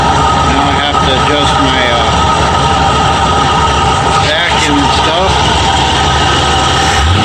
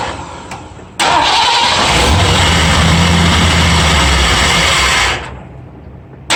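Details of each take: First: Ford F-100 351W V8 with C4, at idle about 750 rpm just after fitting a new carburetor with a thick gasket: low, steady, mostly smooth idle with faint unevenness; owner hears a slight miss, one side louder; smooth idle. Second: Ford F-100 351W V8, first start on a replacement carburetor with the idle screw set very low: catches, runs loud and uneven, then dies; owner suspects a big air leak or idle set too low, carb ports plugged; suspected vacuum leak.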